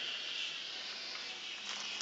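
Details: Steady, sharp hiss of pressurized water spraying and dripping from pinhole leaks (about six) in a hot water copper pipe in a bedroom corner, before plumbers clamped them. Pinhole leak hiss.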